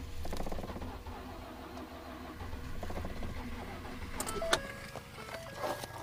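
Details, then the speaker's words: 2012 Ford F-150 EcoBoost at -23°, battery charged to 100%: steady even starter cranking for several seconds, turns over freely but never fires; cranks but won't start. "So the battery's not dead. It's -23. And she won't start."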